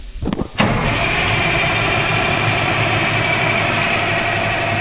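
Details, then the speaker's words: Oshkosh M1070 HET 8x8 diesel: turns over, then settles into a steady, rough churn with no clean firing rhythm, even with ether. "I was shooting a little bit of ether in it. I don't know what's going on with this thing."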